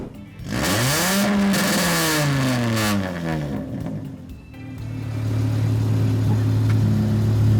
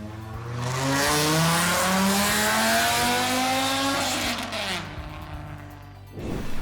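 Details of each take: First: Volvo 850 project car after engine bay wiring, now with a muffler added; when it was straight piped it was outrageous, deep booming exhaust rising and falling sharply with each rev, far too loud, not passing. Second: Volvo 850 project car, after adding a muffler to the former straight pipe: smooth rev pulls with a deep, subdued, more mellow exhaust tone, no rasp or popping; exhaust sounds healthy.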